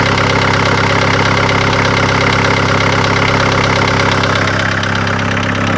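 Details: VW T4 1.9 TD (ABL) diesel after crank sprocket bolt failure, valve-piston contact, all valves replaced and later head replaced: steady idle with sharp regular knock about three per second; service suspects hydraulic lifters or injectors, unconfirmed.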